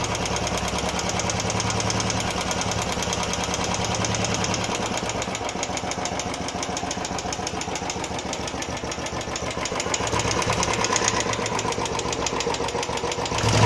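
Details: Royal Enfield Classic 350 after first service: steady fast light mechanical tick over the single's idle thump, owner suspects tappet noise; unconfirmed.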